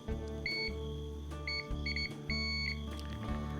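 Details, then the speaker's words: Electric drill switch tested with a continuity meter: short clear high beeps in bursts over a low room hum, showing the switch terminals are connected. "มันจะมีเสียงต่อเมื่อเรากดสวิตซ์นะครับแบบนี้นะครับนี่นะครับหมายถึงมันต่อนะครับ"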